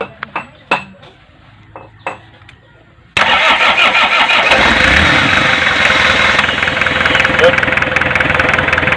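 A few clicks, then the engine catches promptly and settles into a steady, even diesel clatter at idle, running fine.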